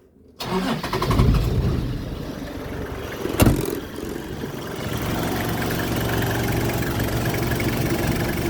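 Engine cranks, catches with a quick rev, then settles into an even idle with no squeal from the belt.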